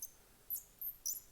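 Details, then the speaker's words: Twist pen mechanism (Jr. Duke kit) assembled without paste wax on the nib threads: short, sharp, high-pitched squeaks with each twist; dry unwaxed mechanism squeaking, fixed by a little paste wax. "now we can pop our our thing in there and then no squeaks now this one do you hear that that's what it would have sounded like otherwise"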